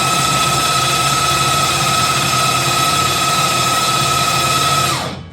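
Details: Rebuilt V8 race engine on first crank after rebuild, spark plugs removed to build oil pressure; even, steady starter whine spinning freely with no compression chuff, then winding down; good oil pressure; normal cranking.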